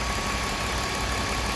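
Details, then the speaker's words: 2001 BMW 325i 2.5 L after repairing the torn throttle body hose vacuum leak that caused cold start misfires and lean codes: steady, even, smooth idle with no shaking; only a faulty purge valve (P0444) remains. "so I have repaired the V the vacuum um leaks the V is rning smooth there's no more shaking no W no more wough idle"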